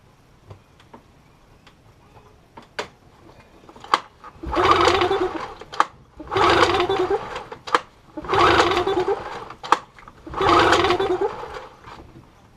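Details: 15HP Yamaha two-stroke outboard recovered after sinking about a week earlier, water cleaned out, choke applied: four raspy pull-cord strokes about two seconds apart turn it over but it never fires; crank, no start.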